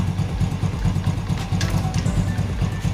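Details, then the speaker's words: Yamaha Vega R New motorcycle idling in gear with brake holding the wheel: coarse rhythmic krek-krek grinding rattle about twice a second, gone when wheel turns or in neutral; worn one-way clutch bushing, fixed by replacing one-way set. "nah terdengar ya suaranya ada suara krek krek krek krek begitu masukkan gigi"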